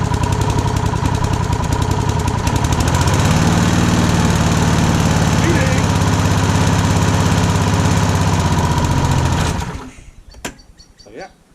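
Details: Rover Combat lawn mower, started stone cold on choke after fitting new blades; fires and settles into an even, steady beat, running very nicely until shut off; normal running.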